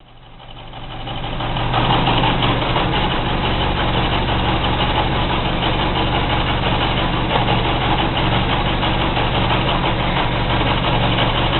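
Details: Car idling with the clutch released: a steady rattling whir pulsing about three times a second over the idle rumble, which stops when the clutch pedal is pressed; the noise is attributed to the clutch.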